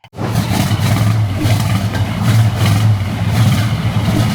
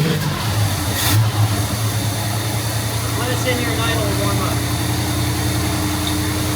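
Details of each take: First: 1971 Pontiac Firebird Formula with ignition issues; Quadrajet carb already rebuilt (needle, accelerator pump, secondary doors, float height) but still runs poorly: lumpy, uneven V8 rumble surging and sagging irregularly instead of pulling smoothly; rough running, distributor next suspect. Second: 1971 Pontiac Firebird Formula V8, after distributor ignition work with timing slightly advanced, cold and idling a few minutes, smelling rich: deep, even idle holds steady with a brief rev blip, no misses or stumbles. Normal idle.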